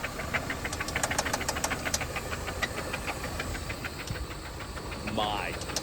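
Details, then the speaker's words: 1995 Toyota Camry LE 5S-FE automatic, first start in about a year; sounds okay briefly, then loud sharp metallic knocking about three per second over idle, cause not yet found; engine knock. "I know you guys can hear that. There's no way you can't. It's wild how it'll sound okay for a second and then it just starts knocking."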